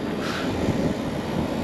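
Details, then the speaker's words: Packaged three-phase AC unit whose compressor had overheated with open windings the day before, now restarted after power/phase change: steady even hum with no knocking, pressures dropping; normal compressor operation. "oh it's actually doing something now oh look at that that was so strange"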